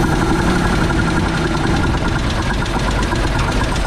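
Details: WC54 3/4-ton Dodge ambulance, unstarted 20+ years, new carb on temporary fuel source: rough, uneven idle with busy knocking clatter; carb suspected out of adjustment and not firing on all cylinders, cause unclear.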